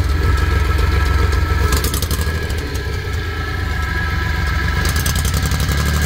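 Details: Suzuki F6A three-cylinder with uneven idle puffing about four a second and brief raspy hissing bursts; abnormal exhaust noise, probably a leak.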